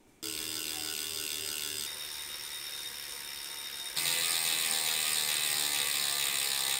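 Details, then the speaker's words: Direct-drive smart trainer freehub coasting before it is greased, since some trainers ship with almost dry freehubs: fast, even dry clicking that slows as the wheel coasts; the pawls are ticking loudly over the engagement teeth. "noise you're hearing there is the freehub ticking away. It's the poles on the freehub ticking up against the engagement teeth as you're coasting along."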